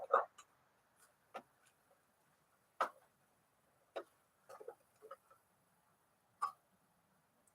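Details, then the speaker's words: 1956 Smith-Corona 5LE electric portable typewriter during reassembly: sharp, isolated mechanical clacks and short bursts over a quiet room; the mechanism engages cleanly and works normally. "seems to be working good"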